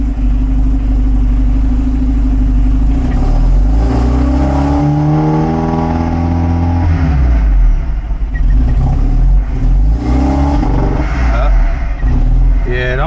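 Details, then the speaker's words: 1975 Volvo 245 wagon, 16-valve turbo with LH2.2 injection, idling about 800 rpm at 13 V: revs cleanly, then collapses abruptly like a rev limiter or fuel cut above 15-20% throttle; bogging blamed on faulty air flow meter. "almost sounds like a uh like a rev limiter or fuel cut built into a tune. If you give it more than about 15% 20% throttle, it just completely falls on its face."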